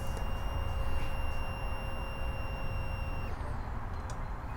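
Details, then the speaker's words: Kohler EFI mower engine after a new long block install (old engine worn at 4,600+ hours): a steady thin electric whine of about three seconds at key-on, then cutoff; normal fuel pump priming. "Now, being that this is EFI, when I turn this key, I will hear the fuel pump whine."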